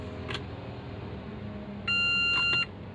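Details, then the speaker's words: Renault Kwid, also fitted with CNG, with a no-crank no-start traced to the key fob battery fitted reversed; key turned, a single sharp immobilizer beep under a second and no starter engagement. "Start कर रहा हूं आप देख सकते हो continue start कर राखी है मैंने लेकिन स्टार्ट नहीं हो रही है गाड़ी"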